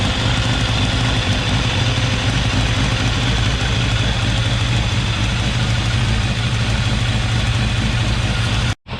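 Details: Restored, rebuilt 1989 Kawasaki ZX10 (ZX10B) four-cylinder, first start-up on a little choke: steady smooth low idle burble, no misses, knocks or leaks; runs well, may need carb balance later.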